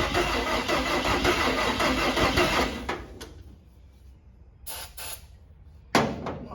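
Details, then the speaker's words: Cab-over van engine on a temporary fuel can line after the carburetor was opened: about three seconds of even cranking that never catches, with the battery weakening. The fuel pump is not delivering fuel; a clogged filter is suspected. "anything yet not pumping any fuel if there's a filter in there that thing could be clogged up"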